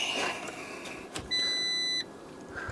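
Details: Fiat 500 Lounge, Cat S repair, on MOT day: one steady high beep lasting under a second in a quiet cabin right after the ignition is switched on; it is the low fuel ("petrol low") warning chime.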